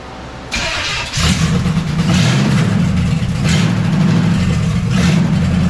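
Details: 350 V8 swapped into a 1976 Chevy LUV, first run after the fuel system and carburetor install and vacuum-leak fixes: a brief crank, then it fires and settles into an even, deep idle burble. Normal start and idle.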